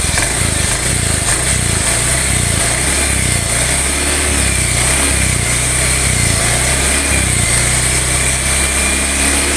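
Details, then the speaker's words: Honda Beat FI/eSP scooter, worn crankshaft bearing: smooth at idle, but the droning, buzzing bee-swarm-like whir grows clearer as the throttle is opened slowly, heard from the left CVT side and the right side. "Ketika langsam suaranya itu halus, tapi ketika gas ditarik secara perlahan itu suara kemprengsengnya semakin jelas."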